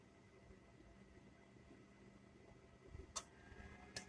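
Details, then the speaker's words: Electric stove set to 5, running off an Inergy Kodiak solar generator at about 107 A and 11.1 V: two sharp clicks under a second apart as the element switches itself off and on, thermal cutout protecting the element and throttling the load. "and it's definitely the stove the troweling back it's turning the elements I'm getting too hot I guess the stove itself has to protect the elements so it just doesn't burn the element"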